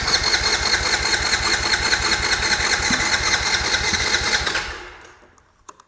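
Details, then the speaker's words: Used ATV with a sticky starter that needed a hard tap, started on starting fluid: single cylinder runs with a quick, even popping beat, then shuts off and winds down cleanly; normal running. "Well, it runs too."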